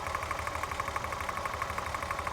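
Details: VW Corrado VR6 idling: fast even ticking at roughly six to seven clicks a second rides over the idle; loose spark plug leads causing a misfire, later fixed.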